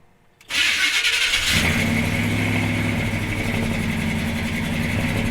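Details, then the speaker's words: 1976 C30 dually pickup, 454 V8, freshly installed Holley Sniper EFI and HyperSpark, target AFR 11.5: catches and flares, then settles into an uneven, ragged hunting idle, running very lean while trying to learn. "okay here we go it's very lean right now so it's gonna rich enough"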